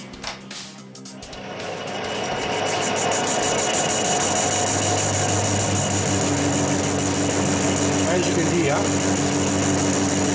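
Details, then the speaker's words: Lathe facing the back of a differential crown wheel, changed to smaller-radius tool: steady high ringing buzz throughout the cut; tool chattering against the face, worse than on the previous one. "this one's chattering worse than the other one I'll see how it go"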